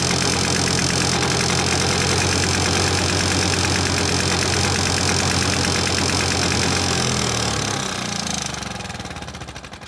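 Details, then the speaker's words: Victa two-stroke lawnmower after a new spark plug, plus earlier carburetor needle and fuel cap replacement: crisp, even buzz at a steady speed, then it winds down smoothly and stops; runs normally. "here we now have a good looking mower which is easy to start and we'll start first pull every time"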